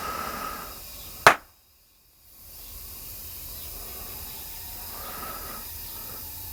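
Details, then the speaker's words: Garage air compressor pressurising a newly installed PEX hard line. A steady hiss, then one sharp pop and brief silence before the hiss returns: an air hose burst under pressure. "sounds like I popped one"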